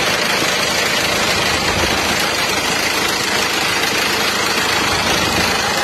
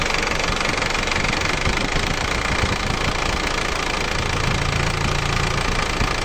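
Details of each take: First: Isuzu Elf truck diesel at idle, blowing by: loud rough clatter with hissy chuffing rush beneath; worn barrel-shaped cylinder liners letting compression past rings, two liners replaced without removing engine. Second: Isuzu Elf diesel after replacing two cylinder liners without removing the engine: steady idle with even, fairly smooth clatter about four beats a second, smoother than before; runs healthy.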